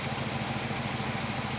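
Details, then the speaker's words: Abandoned numbers-matching 1966 Chevy Biscayne 396 big block, first start since 2003, zero compression on cylinders 2 and 6: lumpy, uneven idle with a steady repeating stumble; owner hopes for stuck rings and suspects a plugged exhaust; rough idle. "this thing was awful quiet when it first started now you can hear it a little bit you can tell it's got a weak one"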